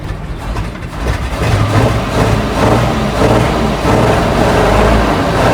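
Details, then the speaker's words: 1976 Squarebody farm truck V8 after 20+ years sitting: right after the loose carburetor is bolted down, it idles instantly better with a low, even rumble, a steady beat and no knocks or misses. A normal idle. "Instantly better. Just once we secure that carb down."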